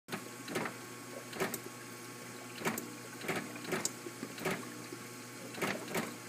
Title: Kitchenaid ice maker making clicking noises